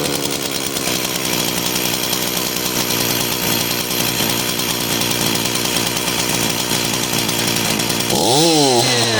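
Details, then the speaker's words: Echo CS-440 two-stroke chainsaw that idles but bogs and dies on the trigger: harsh high-pitched buzz that drops and swoops, a lean high-speed mixture, corrected by turning the right-hand high screw out a quarter turn at a time. "You start it, it'll idle, but when you squeeze the trigger, it bogs out and dies."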